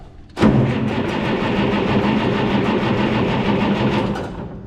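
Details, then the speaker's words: Cockshutt 1850 tractor cranking after tightening a loose connection, with an 1855 tach fitted and fuel stop pulled: starter spins the engine at a steady even pace without clicking; tach reads RPM, seemingly above 200; healthy cranking. "Yes, we have RPMs when we're cranking. I don't know if they're right. Seems like it should be cranking, or it sounds faster. That sounds faster than 200 RPM."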